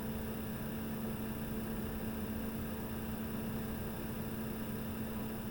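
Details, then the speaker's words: Repaired diesel heater with a new foam-wrapped fuel pump, running at normal temperature with the microphone inside: soft steady whirr and faint constant hum, no audible ticking or surging. Runs smoothly and normally. "I'm going to put the um camera inside so that you can then listen to um what it sounds like see if you can hear the diesel heater ticking"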